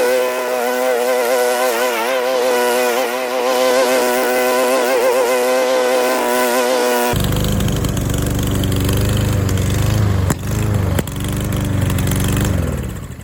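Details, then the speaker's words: Old Murray lawn mower revived after 5 years unused, carburetor needle and seat serviced: steady buzzing run, then rougher tone with a couple of sharp pops near the end; cause unknown. "If you were wondering what the popping was at the end, it's because the"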